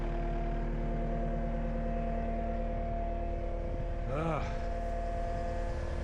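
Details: Cat 279D3 skid steer (about 2019) diesel just after start following main drive hydraulic hose repair: low, steady idle with an even hum and one brief passing chirp, no knocks. Normal idle, "sounds good"; hydraulic temperature being watched.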